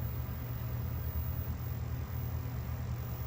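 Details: 1969 Zenith color TV during restoration, after high-voltage rebuild with new flyback transformer, powered up: steady low mains-rate buzz from the vertical deflection stage, normal hum.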